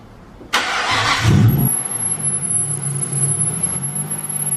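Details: Nissan R34 with new exhaust and Hypergear ATR43SS OP6 high-flow turbo with T51R mod, before tune: catches and settles into a steady, even idle with a faint high turbo whistle; earlier suspected rod knock ruled out; normal idle.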